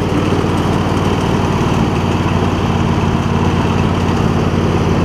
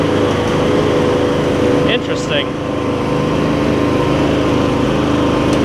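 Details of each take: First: MTD Lawn Chief garden tractor with V-twin engine and new voltage regulator: holds an even, steady beat with a faint occasional pop, no longer surging up and down as before; about 90-95% right, running well. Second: MTD Lawn Chief garden tractor with V-twin engine, new drive belts and voltage regulator, carb clean still needed: small twin runs fast with a steady drone but speed wavers up and down, hunting idle pointing to fuel delivery; engine surging.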